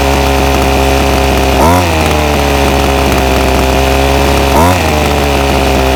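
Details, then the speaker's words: Ryobi SS30 30cc two-stroke trimmer before a low-jet carburetor adjustment: a buzzy idle, and two throttle blips rise only briefly before sagging back; the engine bogs on throttle. "so I've got the ryobi s s30v trimmer here and it's been running really bad just bogs out whenever I give it throttle"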